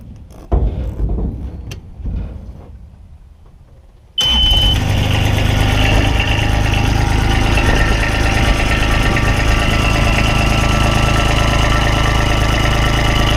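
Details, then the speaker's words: GMC TopKick 6500 bucket truck after airline repair and tightening a bolt: engine cranks and catches after a few seconds, then a loud, busy idle with a metallic rattle; likely something still loose, possibly a roughly 15 mm bolt. "I mean I did get that boat tight but that thing sure is Rattle and still a lot"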